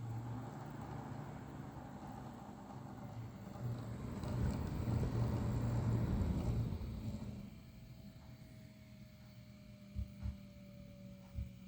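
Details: Lian Li TL LCD 120mm fan (Fan 2) humming low with a rough grinding swell midway, then a whine slowly dropping in pitch: a faulty fan making a grinding noise.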